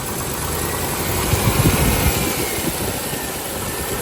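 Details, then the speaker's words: 1995 Range Rover Classic, 4.2 V8, after replacing the ignition coil, distributor cap and rotor arm: a steady, even idle that swells smoothly on a brief throttle blip, no misses or knocks. This fixed the no-start. "Wow. I hope it doesn't die on me, but that sounds sounds really good. Give it a little gas."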